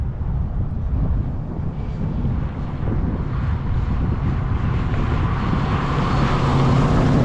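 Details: 1961 Ford Falcon, 302 5.0L V8 with FiTech EFI, Comp cam, Ford Racing heads, after exhaust leak fixed, driving: deep even rumble builds smoothly under throttle, no ticking or puffing, some wind; normal healthy acceleration.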